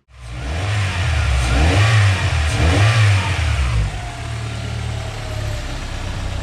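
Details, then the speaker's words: Honda Prelude after fixing bogging: timing belt found two teeth off, belt and tensioner replaced; still cold, a light blip rises and falls cleanly to a smooth steady idle, no bog or stumble. "I'm letting it warm up I don't want to rev it to the moon would it be cold and everything but yes it rubs good it's not lazy anymore"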